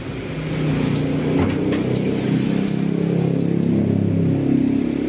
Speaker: jadi ciri-ciri yang bermasalah itu ya ini setelah kita hidupin ac-nya maka suaranya itu sudah Hai ke kayak gini ya